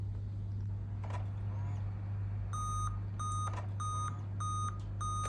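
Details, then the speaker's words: Dell laptop at power-on: five short, evenly spaced high beeps about half a second apart over a low hum; laptop still boots; 5-beep POST code pointing to a dead CMOS battery. "यह देखें यह पांच दफा beep आई है। Laptop चल गया है लेकिन इसमें बीप आती है।"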